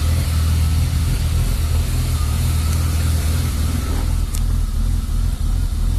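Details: BMW E36 325i at idle; deep idle thrum wavering and dipping unevenly; rough idle fixed by replacing the lambda probe after MAF and throttle position sensor changes and idle valve cleaning failed.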